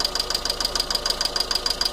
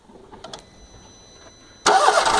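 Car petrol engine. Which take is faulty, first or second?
first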